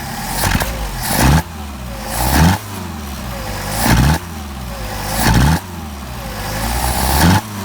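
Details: Mercedes 190SL Solex carbs rebuilt elsewhere, tested on a mule engine, with sleeved throats, poorly fitting throttle plates and limited idle mixture adjustment: about five throttle blips, each with a slight stumble as the throttle opens; accelerator pump suspected; off-idle hesitation on acceleration.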